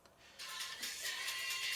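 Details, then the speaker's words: Tonesta (Dansette) Conquest record player, powered on, playing a record; only a thin tinny scratch from the stylus itself, nothing from the amplifier or speaker; a wire had fallen off inside; owner suspects a speaker wire or circuit board wire; no amplifier output. "might be able to hear that but it's only coming from the needle it is not coming from the amplifier which makes me think that the warrior might be a speaker wire"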